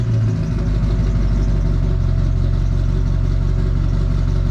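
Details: Duramax diesel (2001-2016 range) after fitting Dynovox stainless up-pipes in place of the OEM pipes, exhaust reconnected. Deep, steady diesel rumble with an even low clatter, settling into a smooth idle. Healthy, normal idle.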